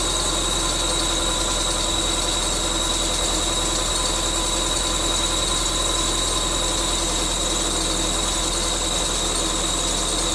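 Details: 1999 Subaru Forester S 2.5L EJ25 SOHC, first start-up after head gasket replacement, idling: constant high-pitched belt squeal, unchanging, traced to the bottom pulley being on a little too tight.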